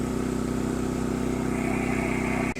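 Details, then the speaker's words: New Champion 200961 2500 W dual-fuel inverter generator running on propane in eco mode: steady, even low hum with a smooth drone, no knocks or surges; quiet healthy idle. "It's pretty quiet when you're standing like 15-20 feet away, and it's got almost no smell to it on propane."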